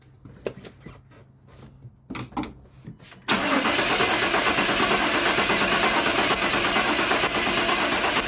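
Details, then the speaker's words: Truck with a crank-no-start: spark is confirmed at the plug, and the distributor may have been installed with the timing off. Even cranking at about three turns a second with no catch. Crank no start from incorrect ignition timing. "I think the timing probably is just off. If they put the distributor in there and they got the timing off, that's probably what we're dealing with. Because I can hear it sparking."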